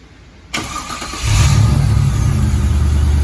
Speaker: Sounds so much better when it starts now. That starter sounds good.